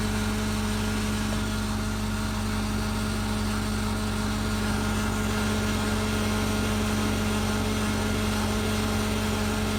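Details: 2000 Chevy Tahoe engine running with a dense, uneven rattly grind from underneath near the fuel filter over a steady low hum; suspected fuel filter, transfer case or fuel regulator, not confirmed.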